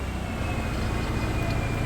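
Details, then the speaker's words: Subaru first start after fitting a new, possibly aftermarket fuel pump; short, steady, even low rumble with no knocks or misses, engine running smoothly. "All right. Turn her off. She runs. Cool. Good deal."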